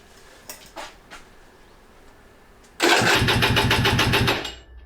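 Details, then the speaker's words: Aprilia RS 125 two-stroke, first start attempt after 4 years in a barn, 1:40 premix, garage at 34 °C: brisk, even cranking at about three to four pulses a second that never catches; no start because the fuel valve was closed. "so the gas valve was closed let's try it again so it was closed"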